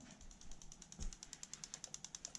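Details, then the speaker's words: Injector one on a sequentially wired Link ECU, run with the PC Link injector test function, ticks crisply and evenly at about nine clicks a second, showing the injector and wiring work normally. "I push OK. And I can hear it ticking."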